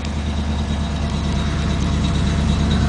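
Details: 1975 Chevrolet Chevelle Malibu Classic, 400 small-block V8, cold start after sitting about a month, before engine overhaul and before 2.5 in exhaust: deep, steady V8 burble with even pulse, no knocks or ticks; healthy idle.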